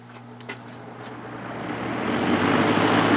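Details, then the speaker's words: Vintage Lakewood Penney's window fan, Redmond 3.4 A motor, after blade balancing, on high speed: soft hum building into an even rush of air, no wobble or knock; runs smooth. "but it runs nice and smooth now yeah I'm pretty happy with that obviously it still needs to be cleaned and everything but uh it's working it's working just fine"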